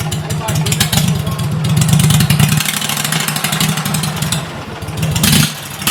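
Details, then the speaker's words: 2006 Mud Buddy HD Mini surface drive, 23 HP Briggs Vanguard, about 14–16 years old, with a new Backwater Performance X-Flow Lite muffler replacing the stock one: fires and runs with a deep, throaty burble swelling on throttle blips, loud but normal running. "Well, what we put on today was the Backwater Performance X-Flow Lite Muffler."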